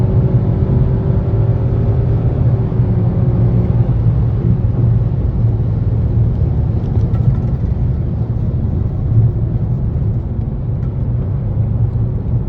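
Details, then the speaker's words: 2017 Nissan Rogue Sport/Qashqai MR20DD, driving with AC on after replacing the VIN J relay that caused P0626 crank-no-start: a steady, even low engine drone with no stumbles or surging; the engine pulls smoothly and runs as it should. ">> Yeah. That's how this thing should run. So, I'd recommend this relay, this Import Direct relay as a performance upgrade. It's like the best this engine's ever ran."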